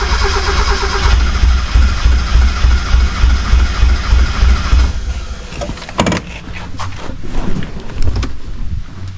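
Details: 1991 Mazda Miata, cranked after adding gas: even cranking around 200 a minute that never catches into a run. Not enough fuel is reaching the engine, though fuel pumps well up to the fuel rail.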